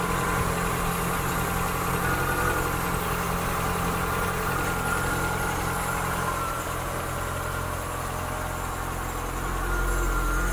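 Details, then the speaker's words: 1972 Mk3 Ford Cortina GXL just fired up after a service and tune-up, cold start ticking over fast on the choke: a steady, slightly raised, even low rumble with no knocks or misses. The ticking is the PCV valve, which always ticks. "so i need to cover up just a little bit that was running on the artichoke tick over"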